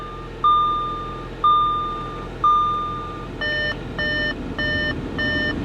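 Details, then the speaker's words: Audi A4 Premium S-Line at auction yard, just started with heater on: steady chimes about once a second over the running engine, then a faster beep pattern; door-open warning, stops once the door is closed; no engine noise. "I mean, other than this annoying beeping, which maybe close the door."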